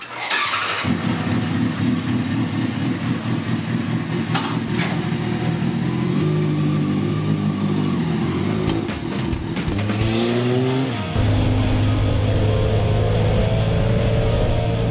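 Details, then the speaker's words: Kawasaki ZX-6R 636 after a long full rebuild: it fires up cleanly and settles to an even idle, then throttle blips rise and fall crisply with no misfire or rattle; a normal, healthy start and idle. "here it is all finished and done right good nothing unusual about it sounds good"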